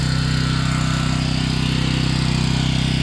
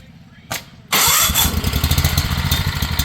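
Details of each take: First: Home standby generator warming up with choke retracted, no load; steady constant-pitch drone with firm regular beat, no hunting or misses; normal no-load running. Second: Home standby generator just started on full choke, output off; chugs and hunts with a lumpy, uneven idle until choke is moved to half; uneven idle on full choke.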